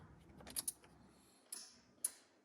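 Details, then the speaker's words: Geo Tracker just after an axle swap, battery earlier dead: key turned in a quiet shop gives faint irregular starter clicks with no cranking; the owner suspects the starter and plans to tap it with a pry bar. "What the f? It's all bad. Well, I think I need to tap the starter."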